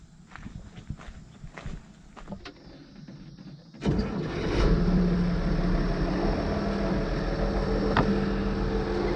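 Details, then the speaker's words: 1979 IH 1086 tractor diesel after replacing transmission oil cooler hoses, started to check leaks: a few knocks, cranks, catches and settles into steady, even idle with no misses; everything looks good. "I know you probably can't hear me, but everything right now looks pretty good. So we're gonna let it run for a little bit, see how it goes."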